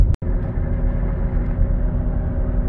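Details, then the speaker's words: 2016 Buick Enclave, 58,000 km, driving at 80 km/h (50 mph): a steady low front wheel bearing hum, louder turning left and quieter turning right; the hub bearing was found corroded into the aluminum knuckle. "so at 80 kilometers 50 miles an hour you hear a hum let's see if it's load sensitive"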